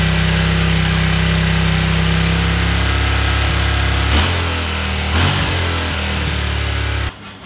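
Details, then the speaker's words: Vintage Honda CX500 twin idling after carbs were recleaned and ultrasonically cleaned parts swapped in. Steady idle broken by sharp, intermittent pops from one side; owner suspects a vacuum problem there. "so I'm not really sure what's going on there's still that weird popping sound you hear I still think something to do with the vacuum for some reason on this side you can hear it popping every now and again"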